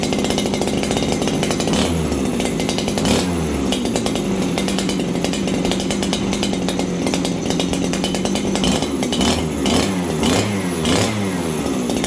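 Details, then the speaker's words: Farmertec 288 kit chainsaw on a cold start after choke: starts easily but burbles and four-strokes unevenly, never cleaning up crisp; low jet set far too rich, high jet at about 1 1/4 turns. "This thing just started nice there. That's a cold start, friends. I haven't done anything. This thing started better than that. Now, this saw is rich."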